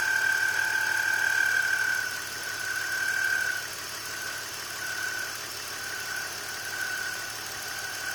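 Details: BMW E46 at idle: high thin squeal coming and going, caused by a bad pulley; replacing the pulley cured the noise.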